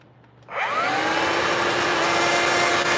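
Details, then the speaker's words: Vacuum after motor repair: motor kicks on with a rising whine, then the brush roll starts, settling to a steady even hum; working normally, problem fixed. "Okay, then the first power the first sound you hear is just the the motor turning on. The second is going to be the brush turning on."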